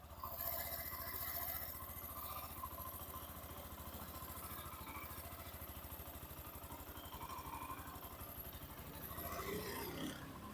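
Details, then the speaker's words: Hero Xtreme 125R at 11,268 km, mic held near engine, idle without throttle: steady even putter with no knocks, ticks or rattles; healthy normal idle despite viewer-reported engine noise concerns. "आपने सुन ली engine की आवाज without accelerator"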